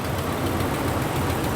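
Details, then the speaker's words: Volkswagen Vanagon, 136,519 miles, at idle: a light, quick ticking over the low rumble that almost sounds like a lifter; suspected exhaust leak, probably at the manifold, where bolts often snap; not confirmed. "that's an exhaust leak it almost sounds like a lifter it's not that sounds like an exhaust leak those are fun because it's probably at the manifold"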